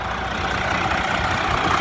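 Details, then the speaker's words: 2007 Freightliner with Detroit 14L EGR diesel, freshly rebuilt with new piston and liner kits: smooth, even idle rumble with no knocks, misses or ticks, running like a champion. "beautiful I mean this running like a damn champion"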